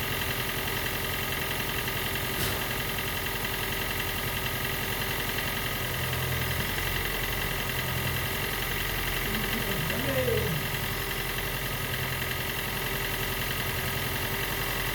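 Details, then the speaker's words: Gen 2 Toyota Prius 1.5L hybrid with codes P3190, P0A0F, P3000 and P0A80, engine running after being spun a few turns while the HV battery charges: uneven, loping idle with an irregular pulse and no clean firing rhythm. Diagnosed low compression, causing the cold no-start. "And I know what the problem is. Actually, the compression is too low. So when it's cold, it cannot heat the uh uh air inside the combustion chamber on the compression stroke."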